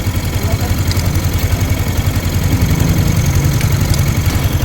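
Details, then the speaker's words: Yamaha Sniper 155 after the tensioner is fitted and its bolts fully tightened. Low, even idle thump with no ticking or chain rattle; the engine is quiet again. "Thread natin. Wala na. Tahimik na ulit."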